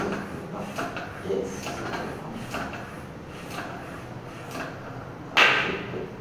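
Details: Triban RC 520 road bike tyre being inflated after mounting, presta valve, toward 90 psi max: faint scattered ticks, then one sharp crack about five seconds in; bead seating properly on the rim.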